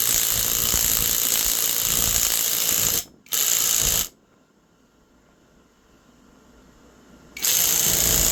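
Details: Temu 1200 W impact wrench pressing a wheel hub onto the knuckle: fast, crisp rattle of hammer blows, steady under load with short pauses between bursts; the wrench hits strongly and evenly, normal hammering.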